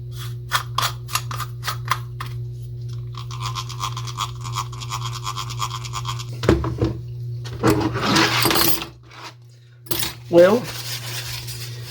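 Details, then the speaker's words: Late-1950s/early-1960s Western Auto Revelation V1550 spincast fishing reel, hand-cranked after service: fast ticking then harsh rasping gear grinding; gears poorly meshed, likely needing shim washers. "I think it needs some probably needs some shims I don't think that they're normally supposed to be that rattly um if you look at the clipper you definitely don't hear the grinding on this one"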